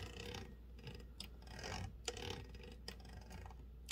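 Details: Torpedo 18B typewriter carriage still rattling after the floating dog was set to fully clear the escape wheel: sharp irregular ticks and a couple of louder clacks, cause still unknown.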